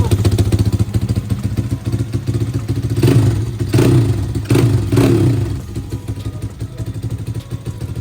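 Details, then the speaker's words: Apollo RFZ single-cylinder pit bike before carb tuning, low idle, no smoke: crisp even firing, four throttle blips returning to steady idle, no knock; engine healthy, exhaust note still ugly. "Mais elle tourne au rond, il n'y a pas de bruit moteur, il n'y a voilà des réglages."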